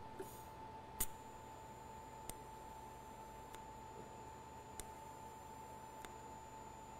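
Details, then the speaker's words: ESAB TIG welder in DC pulse set to 0.4 pulses per second; faint sharp click about every 1.25 s over steady hum and hiss as the pulse switches; normal slow-pulse DC TIG arc. "So you could hear the difference in that and probably see it hopefully as well. The difference between the pulses."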